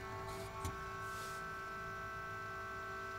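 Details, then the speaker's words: APC Back-UPS 1600VA (BX1600MI) small cooling fan: steady, annoying tonal vibration hum with several fixed pitches over a soft whoosh, heard while comparing fans during replacement of the stock ADDA fan with a Noctua NF-A6x25. "So the vibration is very annoying."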